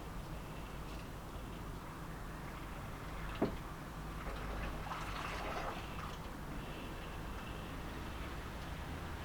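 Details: Subaru Impreza after swapping in a JDM STI steering rack, bleeding the power steering: fluid topped to the max-cold mark, engine off, wheel turned lock to lock; soft gurgling and bubbling near the reservoir as air works out of the fluid.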